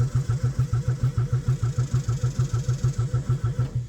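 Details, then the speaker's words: 1996 Geo Metro bought as a parted-out wreck, cranked on a jump box: steady cranking about 3.5 compressions per second with no firing. Spark is present but no fuel pump is heard, so a dead pump is suspected, not confirmed. "Okay. Well, we got spark, but we don't doesn't seem like we have a fuel pump."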